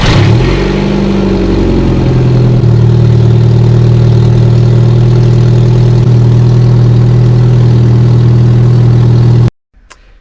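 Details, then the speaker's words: Turbocharged car at idle: loud raspy note with a rapid puffing tick about four times a second; burst exhaust gasket with fumes through the vents and poor fuel economy, suspected at manifold-to-turbo or turbo-to-downpipe, manifold-to-engine thought unlikely. "It makes an awful noise. And the fuel economy is awful, so all the classic signs of a gasket failure."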